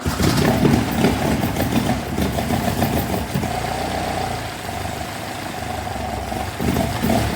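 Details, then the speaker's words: Classic Alfa Romeo GTV 2000, first start after head gasket replacement and carburettor rebuild: catches after a few uneven beats, settles to lumpy steady cold idle; not warm, may cut out, but runs normally. "Nice. Now it's not warm, so it's probably going to cut out, but we're good."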